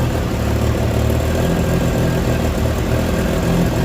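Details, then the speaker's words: Mazda RX8 with 13B REW turbo swap and oval exhaust tubing: idle with a deep, hollow drone that sounds like a leak, but smoke testing and a hose check found no leak; it is resonance, and the car is under the noise limit. "It's a very hollow kind of sound. At first you sort of think it's an exhaust leak, but smoke testing it, there's no leak, and under it with a hose you can't find any leak."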